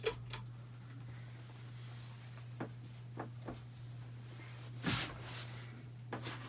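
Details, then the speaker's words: Hampton Bay Cameron II Plus 52-inch ceiling fan from December 1999 with bad capacitor, switching medium to low: steady low hum with light clicks and knocks; hum fades on low but fan spins slowly; blade arms loose. "not really huge difference between uh high medium here's low the humming goes away on low speed but doesn't really spin that fast on low"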